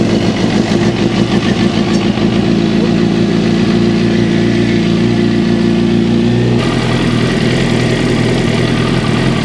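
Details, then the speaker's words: 2006 Suzuki GSXR600 after rectifier and stator replacement with a new charging kit; smooth, steady, even idle for several seconds with no knocks or misses, then shut off; healthy. "Before we put the seat on, let me crank it up and you tell me if it is running or not."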